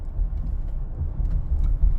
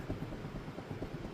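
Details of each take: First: Minivan test drive after rear repair (there was a scraping rear noise before). Cornering that loads the left side gives only a low, even road rumble, with no bearing growl; the noise is gone. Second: Rear wheel rocked by hand on a lift: rapid dull knocks from play at the rear wheel, suspected worn hub bearing, with a scraping noise from the rear while driving; hub and bearing to be replaced.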